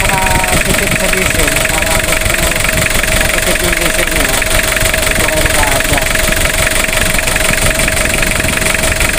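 Busy, steady idle with no misses or stumbles, engine holding even speed; sounds like it's running normally.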